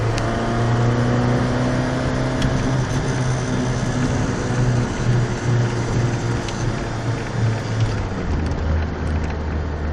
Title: Nasty exhaust leak